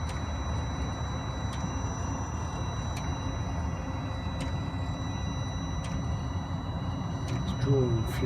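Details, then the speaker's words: Webasto-type diesel pre-heater on a Ford Transit Custom MK8, running with its exhaust silencer removed: a steady low combustion rumble with the fuel pump, located by the fuel tank, ticking about every 1.5 seconds; the tone changes as it heats up. It is burning normally. "You hear the tone of it has changed as it's starting to heat up now. Should have also a silencer on there, but I removed it because I prefer it with a bit more noise, so I can hear it that it's running all the time when I want it on."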